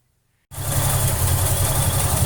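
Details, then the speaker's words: Holden 202 six in a Torana, supercharged, after fixing an inlet manifold leak with copper gasket, copper gasket goo and ARP nuts; fires instantly into smooth steady idle with faint blower whine; runs nicely, normal idle. "she's finally all back together again running is nice"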